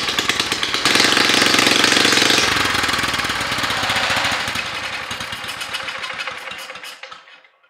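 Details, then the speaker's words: 1960s Norwegian MotoStandard Steel Trac tractor, 8-9 hp four-stroke petrol engine, left for dead in a forest, first start on gasoline sprayed into the carburetor: loud unmuffled uneven firing that falters and dies. It sounds fuel-starved at low rpm, with damaged carburetor jets. "it runs but it sounds like it's not getting enough fuel at the low rpms and it was some of the nozzles in the carburetor that the someone at some time has tried to get loose but didn't succeed"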